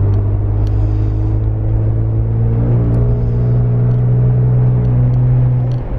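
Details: Interior sound of a Jeep Unlimited 4-door V6 3.6L with Magnaflow 15117 Competition Series exhaust after a new tailgate was fitted: deep steady exhaust drone building under acceleration, quiet cabin with no rattle.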